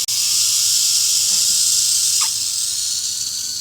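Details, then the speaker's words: Normally closed solenoid valve on a homemade flamethrower gauntlet, tested by blowing through it while unpowered: steady high hiss of air passing through when it should be shut; leaking; a magnet is suspected, not confirmed. "This is a normally closed solenoid, so it should be completely shut and I shouldn't be able to blow through it, but you can hear that something's leaking."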